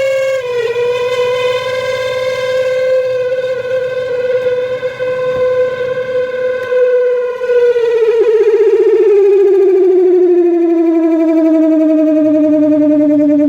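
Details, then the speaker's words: Samsung twin-tub washing machine during spin: loud, steady squeal near 500 Hz, falling in pitch as the basket slows, from the spin area by the motor; basket shaft to motor suspected. "Se escucha un ruido, amigos, que viene de esta parte de aquí, donde está el área de centrifugado, por donde está el motor, amigos. Se escucha un rechinido."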